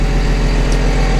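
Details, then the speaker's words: Jarraff mower diesel after oil change, hydraulic filter replacement and belt check, with Fecon mower head belt tensioner fixed: deep, steady rumble with an even beat and no knocks or rattles; idling smoothly and healthy. "all right guys well like I said I got it all fired up here got everything done on it just kind of want to show y'all hear it all running everything show you how it all turned out so fingering that it's pretty good"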